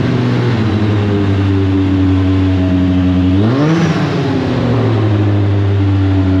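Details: Deep Orange 9 car, freshly rebuilt engine's first start, apparently running partly on starter fluid; steady raised drone on throttle, one quick rev then settling, never reaching normal idle; won't idle unaided, possibly hot/cold map issue.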